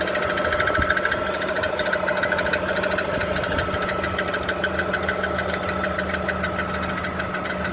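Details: BMW E46 330i automatic at idle: a steady rapid knocking, about three per second, rides over the idle at a constant rate; the source of the knock is unknown.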